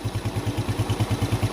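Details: Yamaha Jupiter Z1 / Vega ZR single-cylinder after re-boring and piston work for white exhaust smoke (scored bore and piston, worn valve stems); freshly rebuilt engine, steady even idle thumps with no knock, tick or rattle; normal idle.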